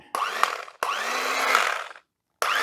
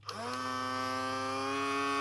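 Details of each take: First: Sunbeam Carve Easy electric knife powered up without blades fitted: three short bursts of smooth, even high-pitched motor hum spinning up cleanly; runs fine, just needs a clean. Healthy motor run. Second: Cheap toy mini sewing machine, plugged in and switched on: small motor spins up with a rising whine settling to a steady hum, but nothing drives, no needle clatter; owner suspects a stripped belt or broken plastic drive gear, something jamming.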